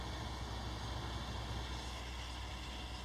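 Steady, even hum with a faint constant high whine and no rattle or gurgle, a water cooling pump running normally.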